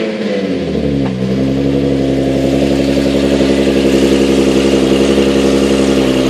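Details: Nissan 370Z with single-piece lighter flywheel, cold start idle after a blip, after switching gearbox oil to Redline MT-90: only faint light gear rattle, much quieter than before.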